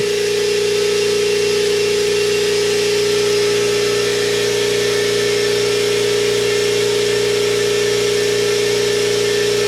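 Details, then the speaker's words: New Stealth 20-gallon twin-piston air compressor about 26 minutes into its break-in run, head temperatures about to be checked; steady constant pump hum, no knocking or rattle. Normal running. "onna fall apart but that thing is a lot quieter"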